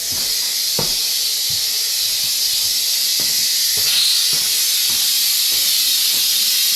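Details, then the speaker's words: House water turned back on and an upstairs faucet opened, no leaks found: a constant hiss with irregular spits and sputters about four a second. This is trapped air purging from the line after refilling, a good sign. "should be mainly air coming out upstairs should be mainly air coming out can hear it so that's a good"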